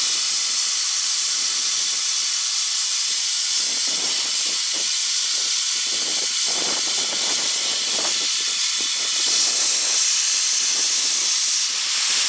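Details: Homemade petrol-engine-driven air compressor at about 90 psi, with unloader trouble after debris came out: loud, steady high hiss of escaping air with no engine knock underneath; air leak hiss, suspected from a leaking unloader valve, not confirmed.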